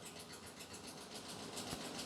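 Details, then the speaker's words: 2019 Ford F-59 commercial, 6.8 V10 gasoline, code P0304: uneven idle, engine shaking, quick steady ticking clatter about eight times a second, sounds like it's breaking; cylinder 4 misfire with valvetrain noise from damaged rocker arm. "Bueno ya escucharon verdad este el motor se oye pareciera que tuviera mucha chibola como decimos en Nicaragua pareciera que se estuviera quebrando etcétera etcétera"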